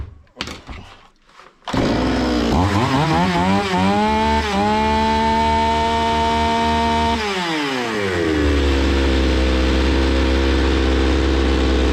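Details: Zomax 5020 two-stroke chainsaw, carburetor cleaned but still stalling; fires, revs up unevenly and surges, then sags back to a rough struggling idle, before mixture screw adjustment.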